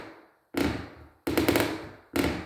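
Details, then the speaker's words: Wooden plank floor on joists with plywood that had developed creaks: three solid footsteps with dull thuds and no creak after the partial-thread screws were replaced with full-thread screws. "И, соответственно, скрип сразу же пропадает."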